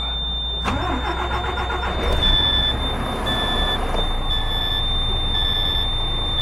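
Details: DAF CF truck diesel, model year 7, after BPV fault rectified. Starter cranks briefly, engine catches at once and settles into a steady, even idle with no knocks or misses; normal start and idle.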